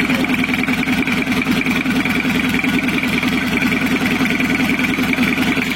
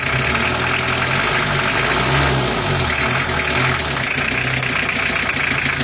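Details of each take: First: 1982 Toyota Hiace LH11 2200cc diesel, freshly restored with added turbo and 6-speed transmission, first start, oil pressure up, coolant only 38.4° (not yet warm): diesel clatter at idle with a thin wavering turbo whistle that never smooths out; uneven turbo whistle, to be fixed. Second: Restored 1982 Toyota Hiace LH11 2200cc diesel, newly fitted with a turbo and a new transmission, warm at 3/4 (normal) temperature: an even, steady diesel clatter at idle with a low rumble and no knocks or misses; a healthy normal idle.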